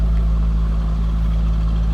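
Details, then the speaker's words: 2004 Chevrolet Corvette C5 convertible, likely LS1 5.7 L V8 about 350 hp, just over 38,000 miles, hood open: deep steady low rumble, even beat, no knocks or misses; normal idle. "sounds like you'd expect nice stackle for bet to sound little Rumble coming out of that baby"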